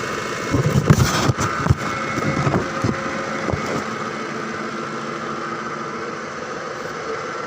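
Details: 2005 Ford Expedition V8 after replacing 4 ignition coils and cleaning spark plugs for a misfire: after a few starting clatters it settles into a low, steady, even idle with no missing beats.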